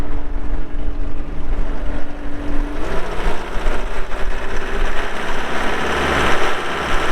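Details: 2020 Gehl V270 Gen 2 skid steer, 72HP Yanmar diesel, 3,145 hours, fired up for operational run; deep, steady diesel rumble settling into an even beat with no knocks or misses, normal healthy running.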